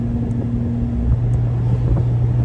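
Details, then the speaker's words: Porsche 718 Spyder PDK with Kline aftermarket exhaust, valves locked open, cruising around 2000 rpm: deep steady boom at one low pitch with a constant hum behind it; exhaust drone boominess in the cabin. "Well, I had really high hopes for this exhaust, but right around 2,000 RPM here, there's a little bit of boominess in the cabin that is not great."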